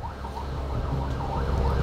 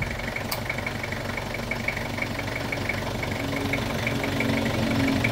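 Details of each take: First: Toyota Revo, engine running: a wavering, siren-like whine from a worn AC compressor pulley bearing, with dust and rust found; the compressor was removed to check the bearing shaft and replaced with a new one; a burning smell was also reported. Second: Toyota Revo diesel after replacing the AC compressor (old one had noisy, damaged pulley bearing), dryer and belt: steady even idle rumble, no grinding or squeal from the new compressor.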